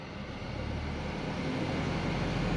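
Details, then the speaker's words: Car audio system producing a low steady drone mistaken for engine trouble; engine note rises with revs but the hum keeps constant pitch, proving it comes from the radio/audio unit, not the engine. "Kalau mesin bermasalah dan berdengung, ketika RPM-nya ini naik pasti dengungannya itu akan ikut naik seperti itu ya, Teman-teman ya. Nah, ini kan enggak ikut naik. Ternyata dengungannya dari ini, Teman-teman."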